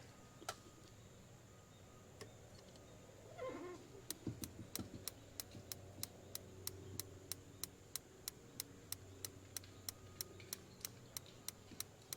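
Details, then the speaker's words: 1994 Lance Squire 4000 truck camper propane refrigerator, igniter just cleaned and reinstalled, gas on: sharp dry clicks about three per second with no burner whoosh; igniter sparks but gas never lights; air in line suspected. "still nothing. I got the gas on. Maybe I'll go inside and make sure I'm getting gas into the appliances in the stove."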